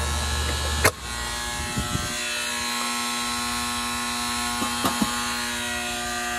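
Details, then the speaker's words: AC condenser unit contactor loud steady electrical buzz with raspy edge and clicks; old contactor measured too-high resistance and was chattering, replaced with new one, unit much quieter afterward. "Resistance was too high on the other one, that's why it was buzzing. There. It's a lot quieter actually."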